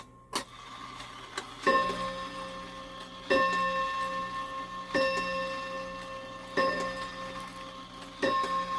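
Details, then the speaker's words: Shanghai 555 clock after repair work: five clear bell strikes about every 1.6 seconds, each ringing out; striking train runs but count keeps changing, from 4 to 6 to 7, not matching the hour. "Oh, it just keeps changing on me. Goes from 4 to 6. That don't make any sense."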